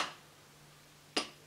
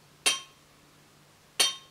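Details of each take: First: Brand-new crankshaft checked by holding the connecting rod and tapping its top: two short, dull, deep taps with no ring, showing a tight needle big-end bearing and a healthy crank. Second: Used crankshaft checked by holding the connecting rod and tapping its top: three light taps each ring out bright and metallic, about one every 1.5 s, indicating worn big-end bearing play.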